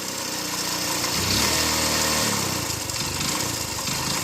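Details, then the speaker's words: Motorcycle revved, with a rough, irregular knocking under the hiss that picks up with revs; the mechanic identifies connecting-rod noise in the crank of a totally worn-out engine. "బండి rate చేస్తుంటే మనకు ఇంజన్లో connecting rod sound వస్తుంది చూడండి."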